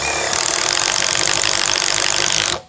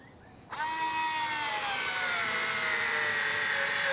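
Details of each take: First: Impact driver boring wood with a 35 mm wood drill bit, heard as steady, busy hammering chatter while cutting chips, then a clean stop; normal impact driver drilling. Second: Cordless electric screwdriver with the clutch set to maximum, driving a large screw: the motor whine starts high and steadily drops in pitch as the screw bites, then cuts out; the driver gives up and stalls under the load.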